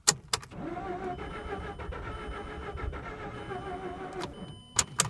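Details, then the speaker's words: Mazda RX-8 rotary flooded after being shut off before fully warmed up, cranking on a jumper with pedal floored; starter spins evenly with soft pulses but never fires: flooded rotary engine, no start. "oh she's dying I'm not gonna get her fired up today one last try alright break it this is why you don't cut your rotary off until it's fully warmed up"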